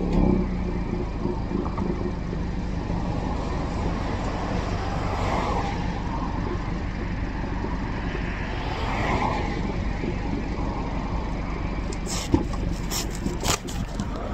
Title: 2020 VN exhaust clicks and rattle sounds